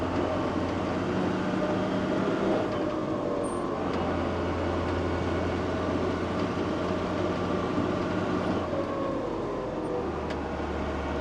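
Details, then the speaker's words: JCB Fastrac 3170 with Cummins 6BT diesel, under way with no load on the back: steady low drone with even pitch and no squeak on or off power, so the belt-like squeak seems cured. "no I can't hear it maybe that's all it was that would have been squeaking definitely would have been squeaking oh let off I can't hear nothing so well we'll say fingers crossed that secured it"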